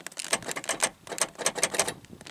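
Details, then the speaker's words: 1984 Pontiac Fiero power door lock actuators: quick rattly buzzing bursts as the motors run, but no latch movement; locks do not move, cannot be moved by hand either. "See that? You can hear them working, but they don't move."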